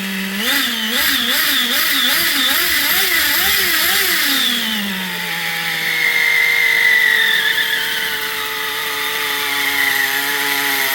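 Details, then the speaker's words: XTM Baja Outlaw RC truck small engine revved up and down in quick swells, then held at a steady high scream, to break in a worn spur gear; the gear now meshes well. Worn spur gear being broken in. "And just say that gear is fixed. It got fixed the hard way. But yeah, she is meshing like a charm."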